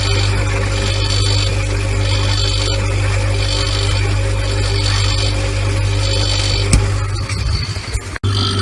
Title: Siemens Fridge Strange Noises